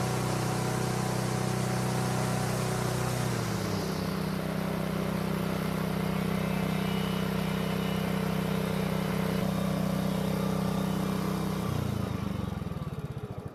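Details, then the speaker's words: Honda walk-behind mower, single-cylinder, stored over winter and would not start until a carburetor fix; now runs with a smooth, steady drone that holds speed evenly before shutdown, no misses; normal healthy running. "now this engine sounds extremely good for being as old as it is it was definitely taken care of and hopefully it'll last another ten years"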